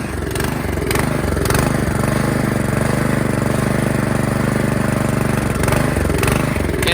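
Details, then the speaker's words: 2017 Troy-Bilt Storm Tracker 2690 XP snow blower, surging after storage with the fuel drained, before carburetor replacement: on partial choke it chugs fairly steadily and smooths with more choke. Owner suspects a clogged carburetor idle circuit. "it only wants to uh run smoothly with a partial chokon which leads me to believe the carburetor um possibly has the idle circuit that has uh clogged so here it is running with a partial choke on if you give it more choke it smoothens out"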